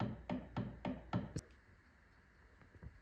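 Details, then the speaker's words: Mazdaspeed 2-way limited-slip differential for an FC RX-7, before backlash was set within OEM tolerance: four sharp wooden knocks about a quarter second apart as it is spun; excessive end play. "You'll hear the backlash a little bit, but I'll insert a before of what it shouldn't sound like."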